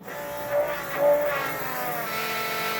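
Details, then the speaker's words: Dodge Daytona stock car with a cobbled-together engine just reinstalled, fuel pump run by button with the rail reconnected to pressurize it: steady electric whine swelling twice then settling to an even hum with no stutter; building rail pressure normally, no leaks found. "Okay, now we'll get on the fuel pump button again and see if we can pressurize the rail."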